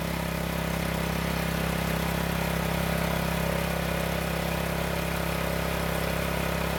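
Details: County Line tiller small single-cylinder engine after ethanol fuel storage problem, running on fresh gas after a couple of pulls: steady even putter at constant speed, no misses or surging; normal running.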